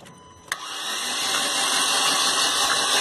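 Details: Fiat Palio Weekend four-cylinder cranked with spark plug removed: click, then rising hissing spray of coolant spitting from the plug hole; blown head gasket letting coolant into the cylinder.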